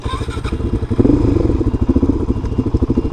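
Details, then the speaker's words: Roketa MC-05-127 / YX127CF 127cc Chinese sportbike, Honda-copy engine, 4-speed, test ride around 30–35 mph after fixing blocked factory tank vent that caused vapor lock and stalling; crisp, even exhaust beat, no stumbling — runs great. "That thing's running great. Best $300 I ever spent."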